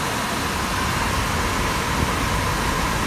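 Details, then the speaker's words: 23-year-old pool dehumidifier with 3D-printed fan barrels fitted: steady even airy rush with no knocking, rattling or scraping; fan running reasonably well, owner slightly concerned the motor gets warm. "You can hear the noises it's making. It seems to be running reasonably well."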